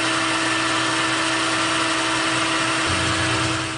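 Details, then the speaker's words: Boring a roughly 1.34-inch ID on a K&T 2HL replacement part on the lathe, boring bar without tail support; steady ringing tone over hissy cutting noise, vibration chatter, operator trying to dampen it with wood. "the tail support I'm getting a lot of vibration so I'm trying to see if I can dampen them with this piece of wood"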